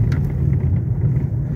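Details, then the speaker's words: 2021 Renault Logan 3-cylinder on a badly potholed road: low, steady road rumble with no sharp knocks, after the right-side suspension noise that began after hitting a crater was fixed without replacing parts. "Ele batia tudo, ó, tá zerado. Não faz barulho nenhum mais na suspensão."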